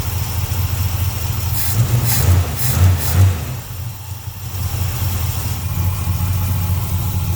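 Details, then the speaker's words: Carbureted 1951 car after spring oil and plug change, steady low even idle with quick blips that settle cleanly, after air mixture screws were adjusted because it ran a bit rich. "I adjust the air mixture screws on it. Runs better there now. I just love that sound."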